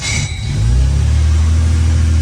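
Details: 1968 Jaguar 420G after engine refitted following transmission work, accelerator linkage possibly misadjusted: fires and climbs to a fast steady idle around 1500 rpm without dropping back; idle too high, cause unconfirmed.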